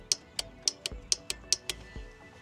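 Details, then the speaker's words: Craftsman LT3000 riding mower with Briggs and Stratton single-cylinder engine; crisp, sharp clicks about every quarter second, good strong solid click with no buzzing or chatter; normal fuel solenoid click. "All right, good, strong, solid click."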